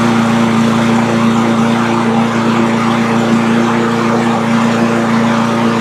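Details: Cub Cadet push mower with Powermore engine that popped and wouldn't stay running, after valve train repair and governor spring tab adjustment for engine speed: constant steady drone, no popping or surging, still smoking slightly; running clean.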